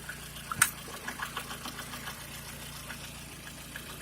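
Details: Lada Kalina after oil pressure sensor replacement, oil changed 1000 km ago; steady, even idle with a smooth, regular patter and no knocks or ticks standing out; oil pressure present, engine sounds healthy.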